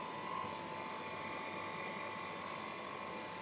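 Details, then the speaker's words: Monoblock water pump motor after fitting new bearings, lifted off wooden stand: even steady hum with constant whine, no knocking or grinding, bearings quiet; faint rub from slightly loose water-through part. "बाकी दोस्तों motor के अंदर जो हमने bearing ठोका है बहुत अच्छे से ठुक गई है और इसके अंदर कोई भी आवाज नहीं है"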